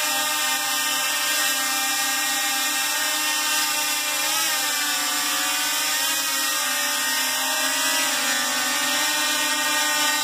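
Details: DJI Mavic Pro in flight with a propeller cage and smaller props: strained, high-pitched multi-tone whine rising and dipping together; the motors seem to work very hard and spin too fast, which the owner suspects is due to the smaller props.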